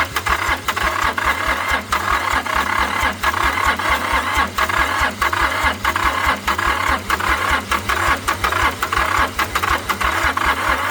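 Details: International 285 4x4 diesel tractor (title says 284), long-neglected, cylinders filled with ATF: fast even starter chug about four beats a second with occasional uneven firing pulses after glow-plug heating; cranking but not starting, likely still clearing ATF.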